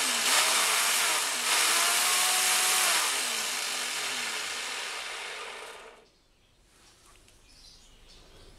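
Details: Black & Decker brushed-motor grass trimmer after repair of a broken bearing that locked the motor; smooth high electric whir at steady speed, then a clean spin-down when switched off, no grinding or rattle.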